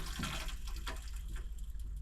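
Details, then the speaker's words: Central heating system being refilled after a radiator change with soldered pipework alterations: steady rushing hiss of water filling, even and uninterrupted; pressure shoots straight up then drops back, normal repressurising. "That's always a positive start, pressure shooting up straight"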